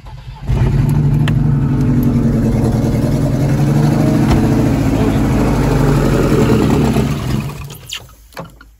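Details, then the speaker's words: Ford Escort Ghia Cabriolet after a new battery; the fuel pump had been getting only 6 volts: the engine catches quickly after cranking, then runs and revs smoothly with a steady, even beat; the fuel pump works and the engine runs normally. "Runs. Fuel pump works. Day 2 has been pretty successful. We've actually got the engine to run now, which is a great start."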